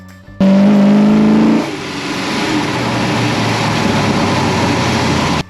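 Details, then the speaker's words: 1970 Plymouth Road Runner V8 with six-barrel carburetor setup, Air Grabber, stock exhaust manifolds, on shakedown drive after work; strong rising roar at full throttle pulling cleanly, no popping or stumbles. Normal wide-open-throttle acceleration. "beautiful setup and I love the sound there it goes yes Full Throttle we got it listen to that sound"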